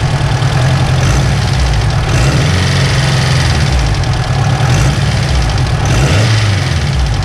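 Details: Turbo Honda S2000 with stock internals, just after an intake manifold install: a light metallic top-end rattle over a rough idle, busier as revs rise; owner suspects the tensioner and plans to swap it, not confirmed.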